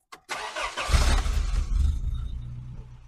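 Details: Old fuel-injected Toyota truck after replacing a failed circuit opening relay (fuel pump relay) with a new Denso one: short crank, catches in about a second and settles into an even, steady idle.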